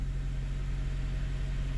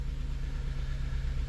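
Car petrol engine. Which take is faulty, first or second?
second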